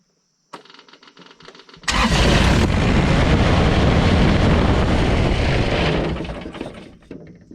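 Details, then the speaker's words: Kubota BX24 tractor diesel, after replacing its fuel shutoff solenoid: brief crank, then it catches at once and settles into a steady, even clatter; it now starts, runs and shuts off normally. "And there you have it. It's fixed, and it should shut off, start, run, like the old girl's supposed to."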